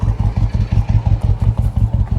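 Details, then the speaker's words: Harley-Davidson F-150, supercharged with an aggressive cam, after all eight coil packs and spark plugs were replaced: deep, lumpy idle with an occasional skipped beat; misfire, fuel injectors and pump suspected, not confirmed. "cuz I mean we're idling now not very good sounds like crap sounds like it's skipping but you know"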